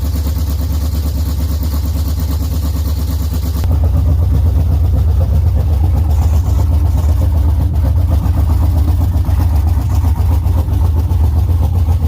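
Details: LS-swapped Chevy Camaro V8, first run after rebuild, no coolant or transmission fluid yet: deep steady V8 rumble picks up and holds an even idle, no knocks or misses; normal running.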